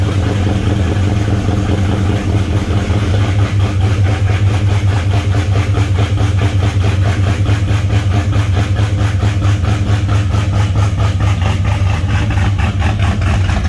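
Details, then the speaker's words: V8 with a fairly big cam and raspy exhaust, idling cold to warm up: deep steady idle with even loping pulse about 140 a minute; normal lopey idle. "as you can see that car has a pretty good sized cam in it so I don't like to inspire it to move it cold I would like to warm up a little bit anyway"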